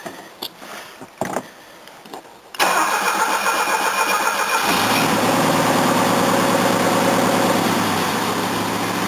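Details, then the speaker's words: Old Mercedes 230 restart after flushing; engine catches after a few seconds and settles into steady idle with a puffing tick in the exhaust; exhaust leak still present, suspected at the undersized or mismatched flange ring. "it sounds like it's got an exhaust leak somewhere still oh definitely probably that flange still"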